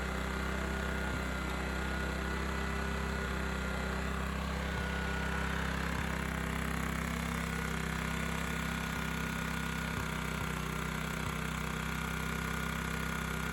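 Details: Honda EX1000 1 kW petrol suitcase generator, said not working, started after adding fuel and choke adjustment, tested with 350 W motor load: steady even drone at constant speed, no surging or misfire, faint background ticks; running normally.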